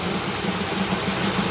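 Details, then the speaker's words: 1959 Buick V8 after a crank-no-start with extremely weak spark, fixed by flipping aftermarket toggle switches that apparently feed two different ignition coils: steady low idle, even beat, no misses or knocks, background hiss. Normal idle. "Well, she's running. So, switches apparently go to different coils somebody put in here, which is kind of hokey, but opens up."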